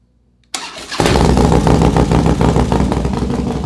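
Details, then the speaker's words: 2012 Harley-Davidson Dyna Street Bob V-twin, after months sitting, first start after replacing the fuel pump assembly (old pump not priming enough): starter, strong catch, settles into an even loping potato idle with no stumble; normal start and idle. "I had to put a new fuel pump in it apparently the pump the old pump just wasn't pushing enough fuel like it was priming but I guess it wasn't priming enough so called Harley got a fuel pump assembly put that in and she fired right up"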